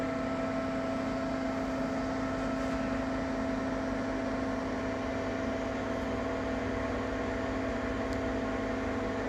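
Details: Ninja Foodi 8-in-1 appliance recorded cold: loud, constant droning hum with steady fan rush; owner reports unbearable noise that worsens once warmed up; cause unknown.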